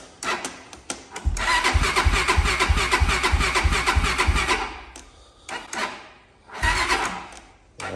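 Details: Honda TRX400EX ATV bought as-is, carb full of dried old fuel, weak battery, choke on, kill-switch issue. It catches, runs rough and uneven, dies, then fires briefly again and won't keep running; the engine was later found blown.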